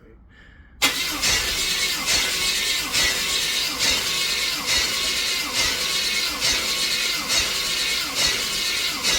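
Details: 1995 Chevy Suburban 5.7 under warranty claim for low compression and power, free-run test with torque converter disconnected, belt off, all plugs out: starter drags slowly, about one heavy strained pulse a second; slow labored cranking persisted even with two new starters.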